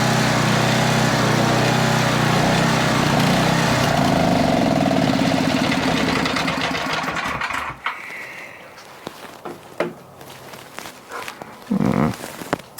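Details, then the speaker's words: Older Tecumseh 4000 W generator, warm after main jet was leaned out, reaching 62 Hz; runs steady and loud for several seconds then sags and stalls, running out of fuel; cause unclear, owner suspects a different problem. "Right out of fuel. Not really sure why, but let's take a look."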